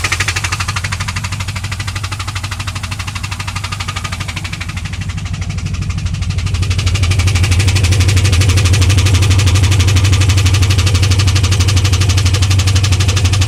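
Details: 2001 Pontiac WS6, LS1 5.7L V8 running steadily with a sharp, regular knock about three times a second, source not pinned down. It ticked at high rpm only two days earlier, then oil pressure fell from about 30 to 0 when shifting. The engine was found empty of oil and refilled, and now ticks/knocks.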